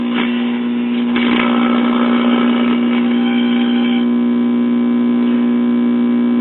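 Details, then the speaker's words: Mid-1960s Soma tube record player, 4-speed: loud, steady low buzz drowning the music, very little cartridge output; mains hum from failed amplifier filter capacitor. "As you can hear, the filter cap is about gone."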